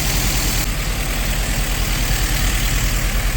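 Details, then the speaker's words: Nissan S13 200SX Turbo, first start after years abandoned, fuel pump not audible: deep steady idle with an uneven, lumpy pulse instead of a clean beat; rough running. "It bloody runs. Come on! Oh, it's running bad."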